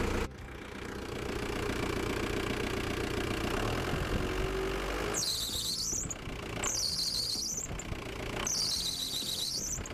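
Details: Ford Transit Mk3 diesel at idle; recurring high shrill belt squeals about a second each persist after re-tensioning the belt; cause unconfirmed.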